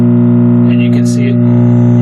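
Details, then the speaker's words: MCR stack original power supply: steady low electrical hum throughout, quieter as 5 V line adjusted down via VR102, louder going up; hum most likely linked to 5 V line, ultimately fixed at J4/J5 connectors. "can hear it change a little bit as I go down in voltage. If I go up in voltage, it gets louder. So we know that the voltage, it definitely has to do with the hum definitely has to do most likely with the 5 volt line is what I would expect."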